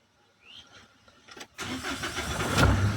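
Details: 2015 Mahindra Xylo diesel, previously a no-start from a relay fault, after relay replacement and DTCs cleared with a Launch scanner: quiet lead-in, then the starter catches and it fires at about 1.6 s into a steady, even idle; a clean start.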